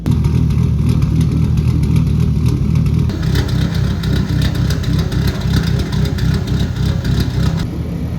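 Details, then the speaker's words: Nissan C33 Laurel RB engine warmed up to 81 degrees, VCT set on idle to drop it low, mimicking 292 cams; loud idle turning choppy with an uneven lope about four beats a second; deliberate lumpy cammed idle. "There you go. That's how you make a car sound like it's got 292s in it."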